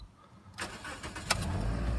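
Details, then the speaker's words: Used car at about 125,000 miles, possibly an ex-rental, with the oil change light on: a brief crank, then it fires at once and settles into a steady idle. A normal start. "it fires right up drove it all the way home"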